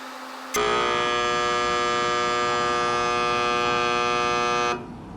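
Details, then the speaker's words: Air conditioner: loud steady electrical buzz for about four seconds then stops, compressor never starts while fan works; capacitor to be tested and compressor checked for short. "esse é o barulho que ela faz e não liga o compressor"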